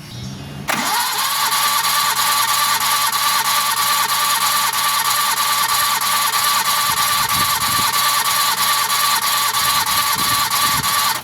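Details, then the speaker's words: Suzuki DF51V turbo kei minivan, compression testing, dry compression on cylinder 1 earlier 75 psi leaking down (spec about 120): fast, even cranking about three beats a second that never catches; intake valves not sealing. "Okay, I already hear air escaping from the intake. So that must mean the intake valves are not sealing properly."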